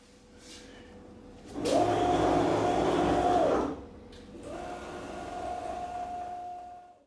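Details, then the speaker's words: CNC router with aluminum frame, run over a year at about 8 hours a day, gantry moving without spindle: loud gritty steady whine from straight-tooth gear racks, echoed by the thin frame; cutting unaffected. "the second is that this machine has straight teeth on the racks if I start the machine without the spindle you can hear a grinding noise from the racks"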